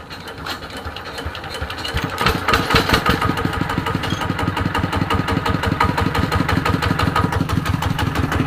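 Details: ET110 single-cylinder diesel after a rebuild with a reground crankshaft, fixing white smoke when revved, at normal running speed: crisp, regular thumps that pick up smoothly and stay even, no knock or clatter; running normally.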